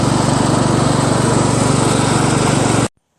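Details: Craftsman LT1000 lawn tractor after a new drive belt was installed, on its first test drive; even, steady single-cylinder putter with no knocks or misses, then a clean shutoff; normal running.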